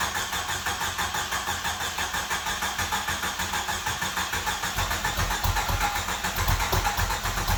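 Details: 1995 Jeep Wrangler YJ, first start in years after new fuel pump and filter replaced a shot pump and rotten gas: engine catches and settles into a steady, even run with regular pulse, no stumbling or misfire; normal running.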